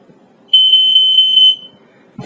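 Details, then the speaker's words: Statitrol SmokeGard 907A2 mains-powered hardwired smoke alarm on test: steady high-pitched 60 Hz continuous buzz about a second long, no pulsing or warble; sounder working normally. "I'm not sure if I told you, but this one just has the continuous buzz. It doesn't have a pulsing."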